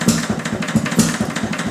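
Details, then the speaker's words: Detroit Engine Works 2HP old engine after repair, ignition moved to full advance; steady, evenly spaced firing knocks about four a second with a crisper exhaust bark when advanced, running sweetly. "I don't know if you can hear it on the tape, but I can. The exhaust note's just a little crisper when it's advanced."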